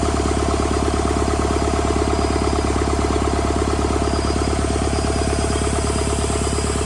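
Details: Rebuilt Doosan D34P diesel for a Bobcat S770 track loader, running test after rebuild: smooth, even run with a steady low beat and no knocks or misses; healthy.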